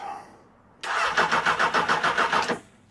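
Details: £400 Honda CB600 Hornet motorcycle, third start attempt with another battery; starter whirs in an uneven pulsing crank for nearly two seconds before catching, hard starting, cause not confirmed.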